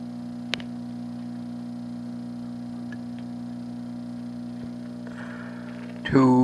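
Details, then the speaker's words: Crosley American Overseas Model 66TC radio during restoration, powered through an isolation transformer instead of a dim bulb: steady low mains buzz with overtones from transformer laminations vibrating under load. "and that's the laminations you can feel the vibration in the isolation transformer here"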